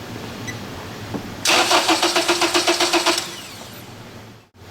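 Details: Acura TSX cranking evenly for under two seconds while the PCM ignition control signal is probed, engine never catching after a clutch job; no spark or fuel, no IC pulse from PCM, traced to shorted 5 V sensor reference.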